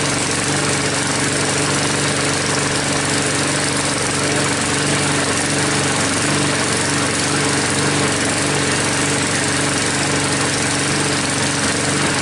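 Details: Troy-Bilt mower with a "Frankenstein" engine built from another engine's parts, just started after a head gasket replacement and still hard starting: a constant, smooth single-cylinder buzz, no surging, misfires or knocks; no leaks seen after about five minutes.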